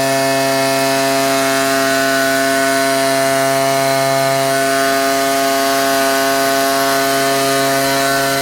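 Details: Ryobi 38cc two-stroke backpack blower, after a cold start with choke: steady high-pitched scream held evenly at full throttle without surging or misfires; normal full-throttle running.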